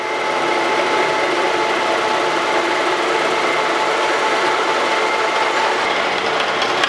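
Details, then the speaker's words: Wells Index vertical milling machine with face mill, cutting down tool post holders for an 1800s wood lathe: steady, even whirring hum, quieter in a full cut than interrupted cut, no chatter; smooth milling cut. "Now we're getting back into a full cut right there. You hear it get quiet. It likes that much better."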